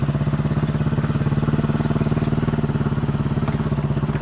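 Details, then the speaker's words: Chinese 200cc Honda-clone quad bike, warmed up after riding, choke half on: fast popping idle with an uneven beat as it misses and farts; misfire from a spark plug failing when hot, cured by a new plug. "I think that's a fair demonstration of the problem. You can hear it missing and farting."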